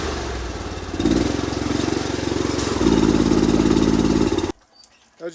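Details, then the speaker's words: Honda IGX800 twin on a pressure washer; uneven, stumbling idle before cutting off; the spark plugs, only 3–4 months old, were found oil-fouled, with oily buildup in the intake too, a recurring issue. "this one over here we found out when we're using it has a really rough idle so we're going to dive in and see if we can get it fixed up and get it running"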